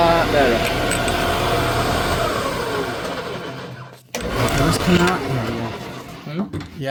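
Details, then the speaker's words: Quill replaced on a 1979 Shopsmith Mark 5: steady motor hum with no knocking or rattle as it spins down and restarts; the whole machine runs much quieter after the repair. Normal running. "I I not only is the whole machine much quieter that looks much better"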